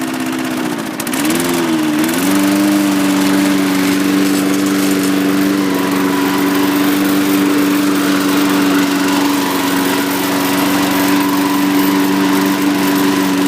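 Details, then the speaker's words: John Deere Power Drive 21-inch self-propelled mower with a Briggs engine of roughly 3.5–4 hp and the blade brake removed; after a brief pull-start wobble it holds a clean, steady hum with no misses or surging, running healthy. "up you can hear it it's a really nice SN and everything seems to work really well"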